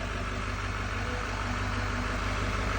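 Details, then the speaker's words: 2017-2019 Chevy L5P Duramax 6.6 diesel the day after No. 4 injector pigtail replacement, started cold and starting right away: deep, steady idle with an even low rumble and no knocks or misfires. "It's a little cold uh compared to when it was yesterday. So, but it turned right on right away anyway."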